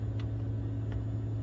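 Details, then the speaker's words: BMW Z4 convertible top, after hydraulic pump/motor replacement with the two wires reversed: steady low electric motor hum, pump running but top not moving; cause was a stuck-out emergency release valve dumping all oil pressure; no fault codes. "Got the two wires reversed. The pump's running, but it's not moving the top."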